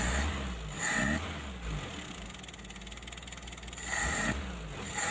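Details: Mitsubishi L300 petrol with points ignition and carburetor, previously hard to start and dying at low throttle, after adjustment: idles steadily, blips up and settles back cleanly with no stumble; normal idle and revving.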